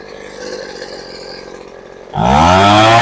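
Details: Poulan Pro two-stroke leaf blower that sat unused and wouldn't start, now running. It catches and revs cleanly, with the pitch climbing smoothly and holding steady without stumbling.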